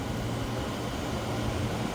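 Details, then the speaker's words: Frigidaire window air conditioner after deep cleaning, in cool mode on auto: steady low compressor hum with even rush of air, fans changing modes, no rattles or squeals; normal running. "I can hear the fans that they're running different modes due to it's an auto."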